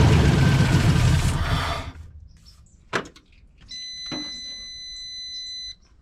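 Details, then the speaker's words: 1989 Ford Mustang GT 5.0 Fox Body, started on a jump pack that is running low, runs rough briefly then dies whenever throttle is given, followed by a chime; stalls on throttle, cause unclear. "As I try to give it any goomp, it just dies."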